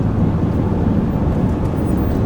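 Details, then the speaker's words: 2006 LBZ Duramax with LLY compressor cover, unknown switchable tune (tune 5, DSP position 4), towing at full throttle, heard in cab: heavy diesel roar with boost pulsing as the VGT vanes open and close; EGTs probably around 1500°; turbo vane oscillation. "But you can hear it in the cab, opening, closing, opening, closing, opening, closing."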